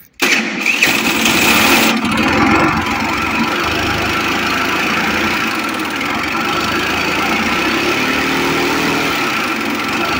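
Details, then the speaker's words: Motorbike brought in for a 'slight' noise: starts and settles to idle with a heavy, rapid hammering clatter about two or three per second; loud internal engine knock, cause unknown. "ama evet abi senin motorunda ufaktan bir ses var ama buna bir yağdanlıkla çözerik herhalde ya bu sesi. Kurban olduğum bu ses nasıl ufaktan?"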